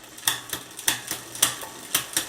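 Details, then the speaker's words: Bicycle rear derailleur on a new direct-mount hanger, after micro-adjusting: light, uneven ticking as it tries to shift but does not complete the shift, so further adjustment is needed. "You can hear it wants to go, but it's not, so."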